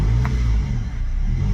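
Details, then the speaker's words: Toyota Previa with hard starting and no idle: engine held on light throttle gives a steady low drone that sags and recovers unevenly, and it stalls as soon as the accelerator is released; it won't idle on its own. "Ayan so para mapaandar mo siya apakan mo ng konti yung gas yan pag binitawan mo yung gasolinador diretso patay"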